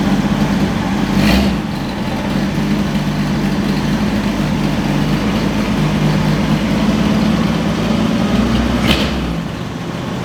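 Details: 1963 Chevy Biscayne with newly installed replacement V8, cold first start; settles into steady even low idle with slight rattle mentioned, no misses or knocks, running healthy.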